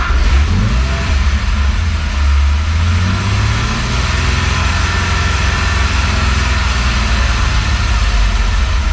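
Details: L67 drift ute with a newly wired switch panel and push-button start, in neutral with fans and fuel pump on: engine fires up promptly and revs cleanly through blips with a smooth deep exhaust note, no misses; starts and runs fine.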